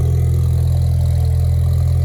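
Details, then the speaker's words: 2016 Ford Mustang EcoBoost, new engine tuned on E85 with big Precision turbo, warming up after start: deep, steady idle with even low rumble, no knocks, ticks or misses, no smoke; normal idle. "Oh, that sounds really good, boys. No smoke. That's beautiful."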